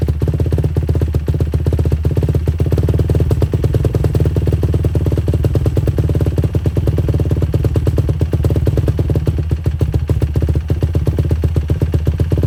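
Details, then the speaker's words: 2007 Yamaha YFZ450 quad, carbureted, sat a few months, cold start after a couple of accelerator pump shots: even, deep single-cylinder thump holding steady with no misses or knocks; normal running. "So, it started up pretty good. Just had to It's cold, carbureted. Had to hit the accelerator pump a couple times, but it started up and ran good."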